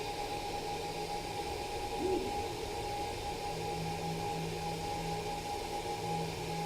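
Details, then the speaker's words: Fokoos Odin-5 F3 folding 3D printer, new: steady airy hiss with a constant thin high-pitched whistle from the cooling fan, loud and annoying though the motors are quiet; owner thinks a fan swap or different fan shroud would help. "the fan is loud so that's annoying because it's like a high-pitched fan"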